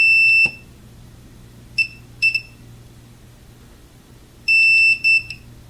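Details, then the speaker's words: Multimeter continuity test on pin 10 via of a 1986 Roland DEP-5 effects processor: the steady beep cuts out in broken bursts when the pin is pressed; cracked solder joint, to be reflowed. "hear that continuity little pressure gone that's a bad solder joint"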